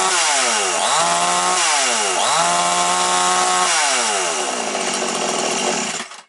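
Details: Chinese Makita-branded chainsaw, nearly new, that wouldn't start; after fixing the primer and fuel hose it starts and oils: two-stroke revs cleanly through throttle blips and settles without stumbling, runs healthy.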